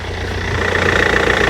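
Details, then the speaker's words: Land Rover Freelander old 4-cylinder diesel, automatic, new battery, oil level good, coolant low from a leak, just started: smooth even idle with steady pulse, little vibration, no clatter or knocking, no black smoke; normal idle. "Ça vibre pas tant que ça pour un diesel là, il claque pas. Donc là niveau moteur on est pas mal."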